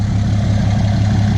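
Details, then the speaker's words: 2017 Ram 2500 Cummins diesel, tuned with DPF/EGR delete and 5" straight-pipe exhaust, started right after an oil change: steady, even low idle rumble with no knocks, ticks or misses; no oil leaks, sounds healthy and happier. "There is no oil spills or anything. No oil dripping. Truck sounds like Cummins. Sounds happier."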